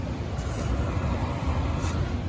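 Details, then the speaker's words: Carrier forced-air furnace not blowing hot air; steady low rumble of the blower fan running with no burner roar, no flames, pipe only slightly warm, status light flashing; fan runs but furnace isn't firing, later traced to a bad limit switch. "the fan is running here but as you can see we got no heat no flames and yeah this pipe is a little warm"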